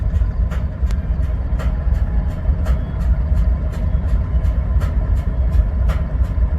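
Deep diesel idle with sharp, evenly spaced knocks about twice a second, clearly above the rumble; source not identified.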